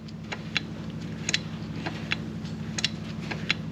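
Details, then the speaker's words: Work vehicle 4WD hub selector after anti-seize and refitting: sharp light clicks at irregular moments over a steady low engine drone as the hub locks and unlocks; clean, normal engagement. "And you can hear it engaging and disengaging."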